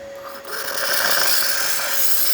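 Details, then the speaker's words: Gaggia espresso machine after tune-up and water pump replacement, boiler up to temperature and sealed: strong steady rushing hiss with faint whistle from the steam wand; normal, healthy steam output. "and as you can hear and see, excellent steam coming out from the steamer one, working perfectly fine."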